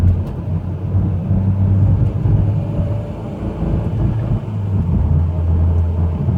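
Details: Mitsubishi Evo X GSR cruising: a steady low-pitched whine under the road rumble, present for about 30k miles; the source is unknown, with the transmission or transfer case suspected.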